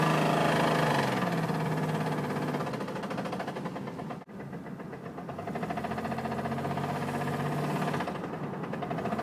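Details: Driftbuster engine running with a steady, deep knock of about 220 per minute under the exhaust note; rod knock from a worn rod bearing.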